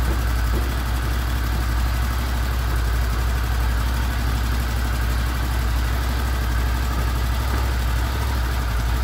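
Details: Honda VFR800 VTEC V4, 58,200 km, first start after cam chain replacement (previously knocking from front cylinder, right side): steady, even low idle burble without tapping or chain clatter; healthy.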